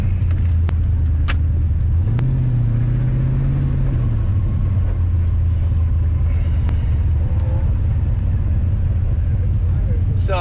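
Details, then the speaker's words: 1996 Corvette LT4 V8 launching in first gear at an autocross: the drone climbs unevenly and stumbles, a serious misfire under acceleration that makes first gear useless. It was attributed to the spark plug wires. "as you can hear the way the engine was revving this thing uh definitely misfiring like a [ __ ] first gear is useless to me right now"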